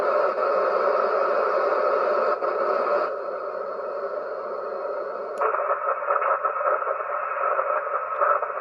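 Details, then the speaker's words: HF receiver filled with a harsh, steady buzzing hiss that stays as the tuning changes, present on every band including 160 m; interference noise from an unknown source making HF dead. "is that it's everywhere it's literally freaking everywhere that's the center right there no matter where i go that noise is there"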